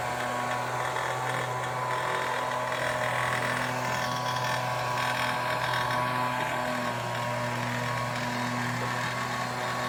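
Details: Homelite UT08572 backpack leaf blower, 30 cc two-stroke, running after repair; steady, even buzzing note with no sputter, surging or dropouts, normal running.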